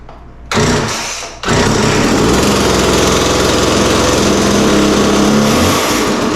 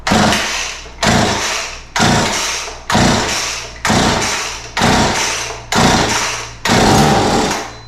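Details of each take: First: McCulloch MacCat 18 chainsaw: two-stroke fires after brief crank, settles into strong even buzz at steady revs; healthy normal running, chain oiling still to check. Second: McCulloch MacCat 18 chainsaw, start-on-spray test with carb cleaner, throttle and choke open: eight pulls about a second apart, each catching with a sharp pop then dying; compression and ignition good, fuel delivery fault, carburetor to be pulled.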